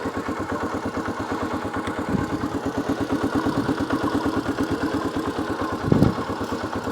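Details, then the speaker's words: 1982 Honda XL250R single after oil-leak repair and a new battery: steady, even thump at idle with a light tick and no stumbles; normal healthy idle, no more oil leaks. "Listen to that. She's just ticking. No more oil leaks."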